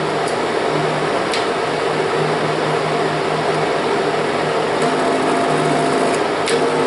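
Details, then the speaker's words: Kodak Showtime 8 film projector running film forward: steady motor hum with soft, even mechanical whir, no grinding or catching; normal running. "Ahí está. Aquí está corriendo hacia adelante."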